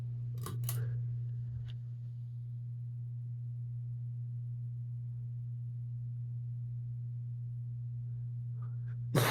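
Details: 52-inch Hunter Builder Elite ceiling fan on high speed, running sluggishly with a steady low motor hum and little airflow, due to a bad capacitor.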